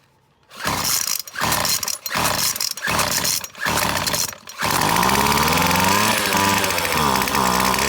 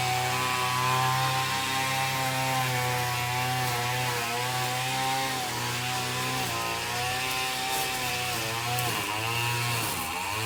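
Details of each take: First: McCulloch T55 CLS line trimmer with spark confirmed, fuel poured straight into cylinder: fires in ragged bursts about once a second, holds high revs but never settles to idle; owner suspects a blocked carburettor jet. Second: McCulloch T55 CLS line trimmer after tightening loose cylinder head bolts that had caused a no-start: buzzy two-stroke holds a steady idle, then climbs and falls cleanly with throttle blips; running healthy.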